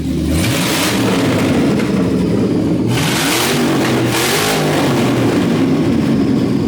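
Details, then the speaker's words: 6-litre V8 burnout car on open headers, free revving; loud raw climbs and drops through quick even blips, oil sprayed on header bolts possibly burning off; healthy engine. "Do you like it, dude? Sound pretty good? Burning all the oil I use, probably on those header bolts."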